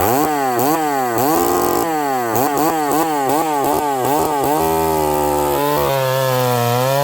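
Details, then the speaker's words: Stihl 038 Magnum chainsaw with a carburetor problem: it revs crisply but blips and falls back, settling to a burbly, uneven, rich idle with smoke. Leaning it out makes it far too lean, with a slight stumble off idle. "It sounds really rich. And then watching the footage, friends, I lean it out and it's way too lean. You can hear a little bumble, a little stumble off idle."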